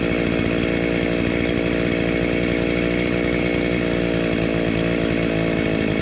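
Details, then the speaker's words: Restored Dolmar 109 chainsaw with homemade shortened chain, buried in a log after a quick tune: loud, steady high-revving buzz holding pitch evenly through the cut without bogging or surging; running healthy under load. "So, I'll take it out, start it up, give it a quick tune, and um bury it in a log and see how it goes then."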